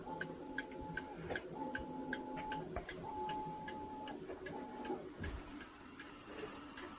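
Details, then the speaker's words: Fusee pub clock movement after rebushing a pivot, cleaning, oiling and reassembly, wound and running on its pendulum: light, fairly even ticks about twice a second under running-water background noise; steady beat, normal ticking. "The only thing you should be hearing is the tick of this clock."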